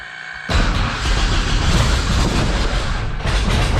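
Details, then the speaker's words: Thorp T-18 homebuilt airplane engine, unrun about six months, fresh fuel, new starter, three primes, mixture rich, throttle cracked: after cranking it catches with a sudden deep roar, then surges unevenly and won't settle; fires but does not keep running. "Oh yeah, she wants to run. Let's try it again. Ooh, she's so close."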